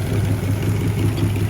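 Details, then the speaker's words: 1967 Chrysler Marine 210HP 318 V8, first start in over 20 years after carburetor and distributor rebuild and tune-up, good oil pressure and compression; steady even low rumble with no knocks, misses or rattles, normal idle. "Got good oil pressure, good compression, seems to run good, so have at it."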